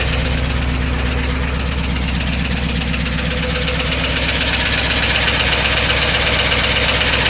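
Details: 1953 Oldsmobile Rocket Super 88 barn-find V8, after new brakes, tires and exhaust, first start before warm-up with the generator not charging: steady, even idle with a regular low pulse, no misses or knocks; runs healthy.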